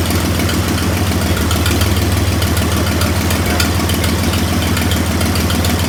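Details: 1926 Oakland revived after 75 years, generator rebuilt, valves checked near spec (warm 7–9 thou): steady, even low idle with smooth regular beat, no valve clack; normal idle.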